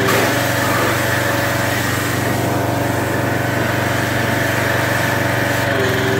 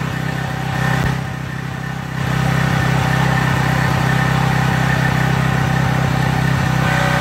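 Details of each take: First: Craftsman 2700 psi pressure washer, Briggs OHV single-cylinder, after the unloader was cleaned and the washer reassembled: a steady, even putter at constant speed under rain hiss, no hunting or misfire. It idles cleanly with no leaks, and the unloader works. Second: Craftsman 2700 PSI pressure washer with Briggs & Stratton 275cc OHV on a water test after pump flushing: a heavy, low, dragged-down drone. The unloader isn't working so the engine loads down; the jet may also have been taken a little too far.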